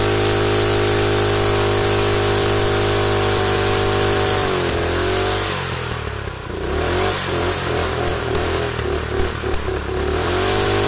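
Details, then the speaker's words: Rusted Predator small engine run with its head gasket removed. It runs steadily, then stumbles with ragged pops and spitting bursts as combustion blows out the side of the head and streaks oil; head gasket leak with backfiring. "yeah it's definitely starting to leak right there blowing out the side of the head right there come on focus we're gonna need you yeah that'll streak oil right there it was blowing some [ __ ] but hey it's still running"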